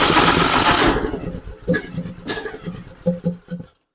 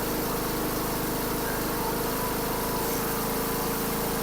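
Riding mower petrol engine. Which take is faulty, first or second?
first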